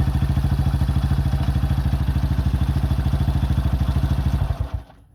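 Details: 2005 Honda CRF150F after valve adjustment and carburetor tune-up for a no-start, during carb adjustment: a crisp, even idle at about two hundred beats a minute, steady until shut off. It runs fine.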